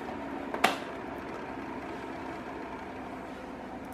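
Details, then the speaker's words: Cadence Auros 1500 W fan heater at its low ("medium") setting, phone about a hand-span away: soft steady airy rush with one brief knock early on. Normal fan noise; owner says noise grows over 30–40 minutes and suspects the internal thermostat. "bom gente mas esse barulho vai aumentando tá mesmo na velocidade e na na potência máxima ele vai aumentar tanto eu acho eu acho que é por causa do tal do termostato dentro dele né"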